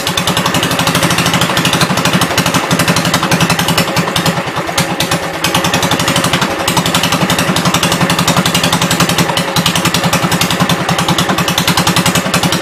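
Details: 1972 Gravely 430 single-cylinder engine running normally after fuel system restored up to the carburetor (small drip at fuel pump inlet): steady, even putter at constant speed, no knocks or clatter; high-low axle works, moves forwards and backwards.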